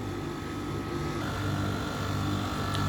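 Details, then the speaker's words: Refrigeration unit with added defrost/pressure-equalizing valve and new controller: after equalizing pressures, steady low hum with faint high whine as the compressor restarts quickly and runs normally; valve humming audible. "and that's just the valve humming that's all that noises there's not a lot i could do about that but now it works it's able to start up again quite quickly"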